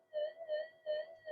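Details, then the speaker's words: Minelab SD2100 metal detector, cancel coil not locked in the middle (skewed off): steady mid-pitched tone pulsing about three times a second; 50 Hz power line interference and drift of the LC oscillator. "A little bit of power line interference coming through, because that coil isn't locked in the middle. It's a bit skewed off, but you can hear the way these drift, because it's an LC oscillator."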